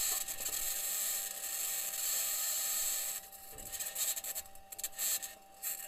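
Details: Perseverance rover recording itself driving in Jezero Crater on Mars. A steady hiss of hard scraping with a thin high squeal breaks into rough grinding bursts. Cause unknown.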